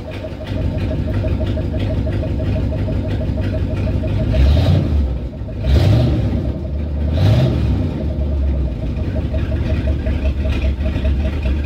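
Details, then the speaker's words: After repair of a 360 (5.9 L) V8 that had idled rough and very high: a PCV vacuum leak was fixed with a tee adapter, a capped port and the return hose reattached. Deep, smooth idle with light blips, no hiss or hunting. "okay happy with it idols way better no more vacuum leaks"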